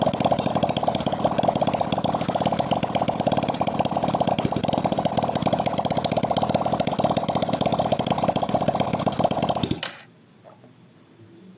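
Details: Nasa 2002 four-stroke motorcycle after new 0.25 oversize piston, crossed ring gaps and new valve seals to cure white smoke and oil loss: fast, even buzzing with steady beat, no misses, then clean cut-off; normal idle.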